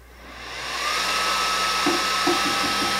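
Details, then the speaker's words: Atezr L2 24W laser engraver being jogged forward and backward (the working direction) while the left-right X axis won't move; steady high whine with short buzzing pulses as the stepper moves smoothly. Owner later found hitting the board housing made it work. "I can move forward and backwards"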